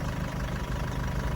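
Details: Land Rover Freelander 2, formerly a complete non-start from broken CAN bus wiring with ECU errors, after the wiring repair: even, steady low engine hum with no misses or knocks; idles smoothly, no dash warnings besides the open door.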